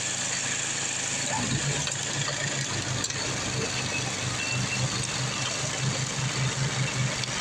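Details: Craftsman 826 track drive snowblower after auger belt replacement (31-inch belt), refuelled, throwing snow; steady small-engine drone with slight low throb and rush of thrown snow, no misses or slipping; normal running.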